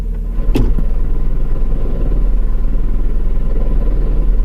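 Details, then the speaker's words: Manual car at idle: runs fine with the clutch in, but a low, fast rattle of about three per second appears once the clutch is let out. It has gotten much worse; owner suspects the transmission. "You hear that rattling sound now? It's gotten a lot worse."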